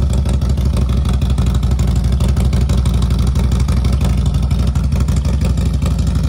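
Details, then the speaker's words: Harley-Davidson FXLRST Low Rider ST, Stage 2 117 ci with Star Racing 30/30 cam, day after Power Vision dyno tune: cold start, deep even V-twin lope about three pulses a second, no knocks or ticks; normal cold start idle. "so you can hear it really really greatly improved let's start with the cold start"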